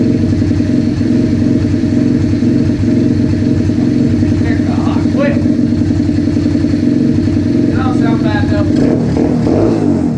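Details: Rebuilt 125cc project bike after new throttle, started with a drill: steady, even single-cylinder putter, no misses or knocks; idling cleanly.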